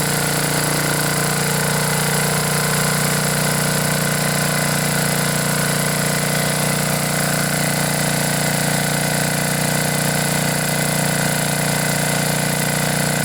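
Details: Generac generator, 10 hp Briggs & Stratton single, after blown head gasket replacement, cleaned carb and new spark plug. Steady, even engine note with constant pitch and no misses or puffing. Normal running.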